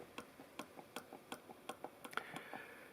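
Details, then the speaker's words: Telecaster/Esquire bridge plate rocking with sharp light metallic clicks, about four a second; over-tightened mounting screws dimple the body and lift the plate front, a vibration point causing microphonic squeal in steel plates. "They will cause the front of the bridge plate to rise. This can be a place of vibration, and it doesn't matter as much with brass, but it's not good for your sustain to start with."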